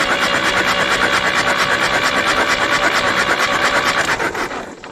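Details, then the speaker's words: 1964 Jeep CJ-5 sat in a barn 30 years, seized engine freed, starter jumped directly: even rasping crank at about three beats a second, no firing; spins over nicely but won't start, and all four cylinders push air. "Well, it spins over nice, but it is not the big uh kapoo of solution that I figured we might have."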